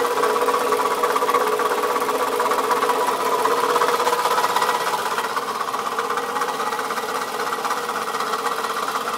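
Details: 2004 Toyota Camry that started making this noise today: fast, fairly even ticking knock around three per second riding steadily over the idle; owner suspects a bad piston, cause unconfirmed.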